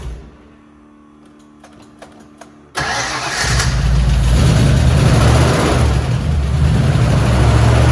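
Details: 1977 Mustang Cobra II bought with a suspected blown motor, first start: quiet clicks, then engine catches and settles into a deep, steady, even idle with no knock or miss; sounds healthy.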